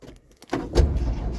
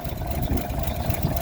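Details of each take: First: Cold start of a 1951 GMC Van Pelt fire engine inline-six at about 38°F, unprimed for a long time, with pedal pumping. The engine surges up unevenly and won't return to idle, a runaway that never happened before. Throttle hanging up. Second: 1951 GMC Van Pelt fire engine, inline-six, on cold start after carb cleaner: low, steady, even idle rumble with no knocks or misses; running smoothly.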